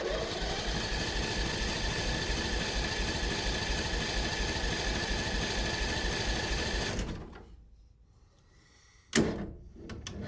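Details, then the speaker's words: Mini NASCAR go-kart small engine with cleaned-out gas tank and freshly charged battery: about seven seconds of steady cranking that never catches; spark present but engine flooded with water from the fuel lines. "Oh, it's flooded out completely. That's good. There's a bunch of water that was I guess in the fuel lines and now it's just sitting in the engine."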